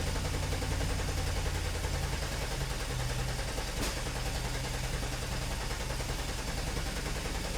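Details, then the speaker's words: 2006 Ford Escape with a misfire, cranking in clear-flood mode for a relative compression test with a weak battery on a maintainer: steady, even cranking showing good, balanced compression on all cylinders. "and it does sound okay sounds like it's got pretty good compressing all the cylinders looks pretty even"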